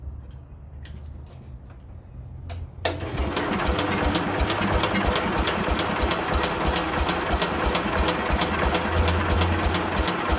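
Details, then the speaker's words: Speedex 1630 garden tractor, likely non-original small single-cylinder engine with belt starter, after fitting a new carburetor: silent, then it catches abruptly and settles into a steady, even beat, starting and running normally. "She runs, guys. She runs. We finally got her to run. Success. She runs, guys. She finally runs. We got her to run."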